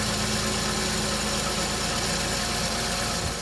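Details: 2008 Chevy Equinox 3.4 V6 after harmonic balancer replacement; failing balancer had caused startup chirp and burning-rubber smell: steady even idle, low hum, no chirp or slapping, running smoothly.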